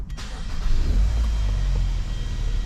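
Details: Hyundai Sonata restarted after repair: a quick crank catches straight away and settles into a smooth, steady idle; the earlier clicking noise is gone.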